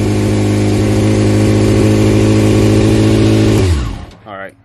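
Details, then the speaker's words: Rebuilt wrecked Honda CBR600F4i, started upright after electrical repairs: the four-cylinder holds a high, smooth, even idle at high rpm for a few seconds, then winds down to a stop. Normal fast idle after start. "so we'll leave it upright and then turn it on gonna be high rpm"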